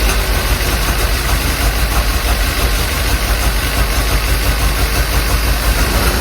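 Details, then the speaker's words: Willys CJ5 Jeep F-head, sat for years, after a tune-up and a new universal Daytona 4134 carburetor: a fast, steady idle well above normal with no drop-off; a sticking-open throttle is suspected. "I'm not too sure what's going on there. Sounds like the throttle is sticking open."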